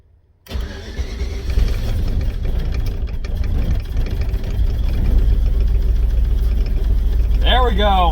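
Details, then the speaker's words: Volvo that sat all winter, with new braided fuel lines and a manual fuel pressure regulator: it starts, then settles into a rough, lumpy idle. Any throttle brings pinging and bad backfiring and it smells rich; the owner suspects fuel pressure is set wrong. "so it sounds like you give it any gas it kind of starts to ping and like uh backfire pretty badly so something's up with that we're going to look into that and it smells like it's running rich too"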